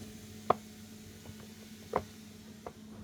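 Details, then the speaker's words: Midea induction cooktop with an intermittent power-supply fault, after replacing a filter capacitor with a larger 22 µF one: still clicks irregularly over a low hum as the power supply cuts out; cause still unresolved. "Ờ bật lên là còn tạch tạch cái ngắt nguồn luôn"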